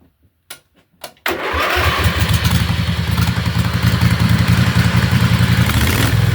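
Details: Riding lawnmower after fitting hydraulic brakes and shifter to its transmission, no noise from the setup; a few cranks, then catches into an even, steady small-engine beat with no grinding: normal running.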